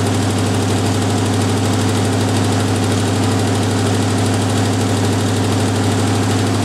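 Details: Jeep M715 army truck, fuel injection removed and converted to carburetor, old cold start; loud steady low idle with an even throb, no misses or knocks, running smoothly on its carburetor; normal idle.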